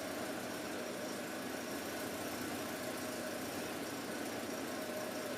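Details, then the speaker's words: Volvo 240 idling at first start after months off the road for water pump, timing belt, thermostat, B cam, adjusted shims, Redblockpowered ECU/EZK and new mounts and hoses: quiet, steady, even pulses, nothing leaking; owner hears an exhaust leak somewhere; normal idle. "I don't understand how this is just working. There's nothing leaking. Nice even pulses."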